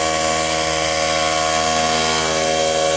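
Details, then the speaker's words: Cheap portable tire-fill air compressor with its melted power switch bypassed, building tank pressure (slower as it nears shutoff): a constant motor hum and steady whir with no rattles or squeals. Nothing weird; it runs normally. "I'm not hearing anything weird. Sounds like it always sounded."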